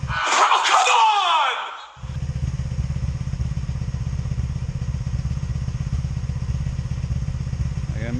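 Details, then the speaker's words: 2002 Honda Magna VF750C V4 idling after reinstalling an ignition coil: uneven, stumbling misfire felt on all four cylinders, also backfiring; owner now suspects the CDI box. "come on I really gotta fix this guys okay yeah I can hear the misfire"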